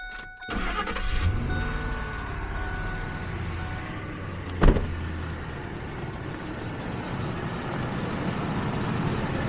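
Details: Ford F-150 after a fuel pump change and fitting reconnected, started to check for leaks: brief crank, then an even, steady low idle with no misses or knocks; repair appears successful.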